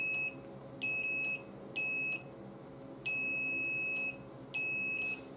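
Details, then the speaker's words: Mercedes C230 that cranks but won't start: meter connected across the fuel pump relay's output terminals gives five steady beeps as the contacts close, continuity confirmed, so the relay is good and sends power to the fuel pump. "so then when i close the relay contacts it should be to tell me that the relay is sending power on down to the fuel pump"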